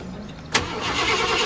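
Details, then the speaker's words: 1990 Ford F-150 XLT Lariat won't crank with key; screwdriver bridging the solenoid terminals gives a sharp electrical snap, then the starter spins the engine with a steady churning sound. "Had to use a screwdriver, touch these two to crank it, so hopefully we get that going."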